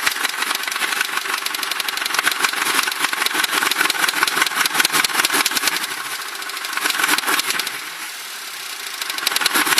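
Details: Crown Victoria that developed this noise recently despite always having great maintenance; fast, sharp, tinny metallic ticking over the idle, owner suspects rod knock, bottom-end knock possible but unconfirmed.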